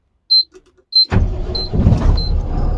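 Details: Mahindra Blazo BS6 M Dura diesel tipper with code P0344, rpm capped at 2000 and long cranking: after air was bled from the engine, a couple of chimes, then it catches almost at once into an even idle; clean start, check lamp gone.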